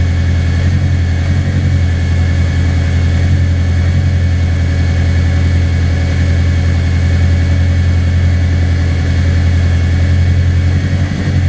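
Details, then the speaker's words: Track car after winter fuel-system work, fine on cold start and warm-up, but once warm the fuel pressure drops and drops further with gas: a low, slightly lumpy drone; owner suspects tank vacuum is collapsing fuel pressure. "dropping and I'm going to give it gas it drops even more so that's probably the reason why it when it first startup and the warm-up it was totally fine"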